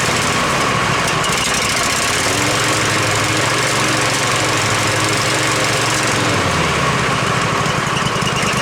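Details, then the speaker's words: Husqvarna Z254 zero-turn mower engine after ignition coil replacement, run briefly with the shroud off so cooling air isn't flowing through; steady, even idle with a firm uniform beat, no misses or knocks, sounds pretty good. "sounds pretty good you don't want to run it much longer cuz it ain't got the stoud on it so the wind's not blowing through the motor right"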